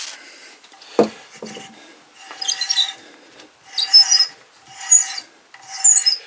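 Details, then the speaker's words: Adjustable hand reamer taking a gentle pass, fed down slowly without forcing, chips falling below: light, dry rasping strokes in short bursts about once a second, smooth and unforced; a clean, healthy reaming cut. "On entend que l'outil travaille, fait son petit travail gentiment."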